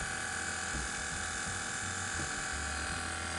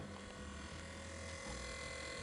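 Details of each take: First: BMW with rear air suspension: the compressor, located at the rear center under the bumper, buzzes steadily but the lowered rear won't lift. The faulty compressor was replaced with a new aftermarket unit, which fixed it. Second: BMW rear air suspension compressor, after replacing faulty compressor with new aftermarket unit, reconnecting air lines and wiring, and reinstalling its fuse: quiet steady electric hum, no knocking or straining; running normally.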